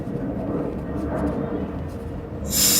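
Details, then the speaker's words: Air compressor's release valve venting normally: low motor rumble, then a sudden loud hiss as the pressurised air line, not the tank, is emptied on unloading. "but this has got a really good release valve on it and you'll hear it when I go to unload it"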